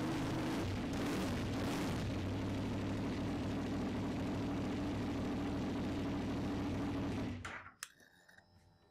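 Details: KTM 990 Duke V-twin after fuel filter kit and oil pressure switch replacement: steady, even low idle with no knocks or misses for several seconds, then switched off; normal healthy idle.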